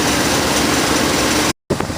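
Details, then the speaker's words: 1966 Ford Thunderbird V8, carburetor choke held manually while fast idle cam adjustment is investigated: steady, even idle held around 1100 rpm with no misses or knocks; normal cold fast idle. "she's idling at about 1100 which is okay because I'm doing this manually"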